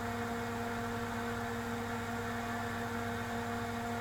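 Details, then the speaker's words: Tektronix TDS 420 oscilloscope rebuilt from a scrap box of parts, restarted after clearing the DSP error code: a steady, even, really noisy cooling fan drone with a low hum and fixed tones, no pitch change; it then passes the power-on test. "a really noisy fan oh listen to that fan"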